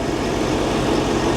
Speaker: with that said I still want it it still runs relatively decent it sounds like it's running perfectly